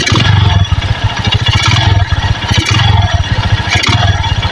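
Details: Honda Megapro Primus carburetor motorcycle being tuned at fast idle, with the idle screw backed out from 1.75 turns: uneven beats and loudness surging and dipping about every second; rough, unsteady idle.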